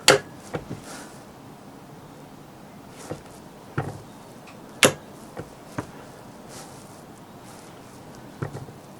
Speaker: out the clunking noise you can hear that is the contactor operating as i said it really is that simple